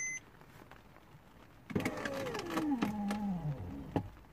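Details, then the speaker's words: 2008 Porsche Boxster S (987) driver's window: switch pressed, the motor whirs with a falling pitch plus clunks inside the door but the glass doesn't move; window regulator failure. "have you heard that even it hurts listen to this honestly i don't want it i think the damage is already done but it really hurts so yeah there's something wrong with this elevator"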